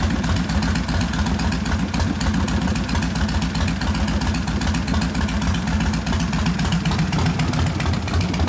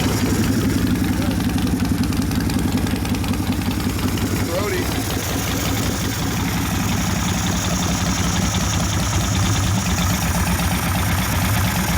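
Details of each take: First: 1972 Harley XL Ironhead Sportster bobber with rebuilt engine (after wasted pistons and pinion bushing): loping, uneven V-twin idle at a steady pace with no lifter ticking; healthy. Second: 1972 Harley XL Ironhead Sportster, rebuilt after wasted pistons and pinion bushing, cold: slow, loping V-twin idle that sags and stumbles; idle mixture lean, carb wants more fuel, being adjusted with a screwdriver.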